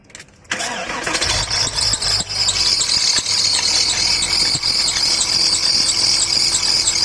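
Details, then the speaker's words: Porsche Boxster 986 engine starting and idling with a light, fast, somewhat uneven chatter over it; engine noise, source not yet located. "a Porsche Boxster 986 here with the engine noise. So today I'm going to just start it up and see where the noise coming from."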